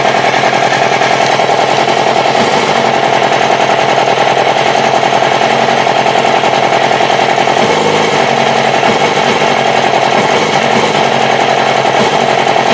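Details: Yamaha R6 sport bike at idle: loud, rattly, choppy firing rhythm that never settles into a smooth beat; rough idle, cause unknown.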